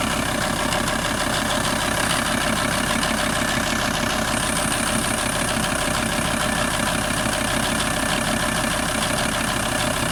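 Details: VW T4 TDI 150 diesel engine: even idle clatter with a regular knock about twice a second riding on it; engine knock, cause undetermined.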